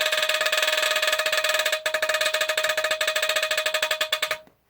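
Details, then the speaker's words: Statitrol SmokeGard 770, an early-to-mid-70s hardwired ionization smoke detector with an electromechanical squealer horn, triggered by candle smoke: rapid, choppy, buzzy chirps about 3–4 a second instead of a full blast; owner suspects the horn is worn out. "so that's basically all it does just kind of chirps like that which is sounds okay but I really would like it if it went like sounded at full blast"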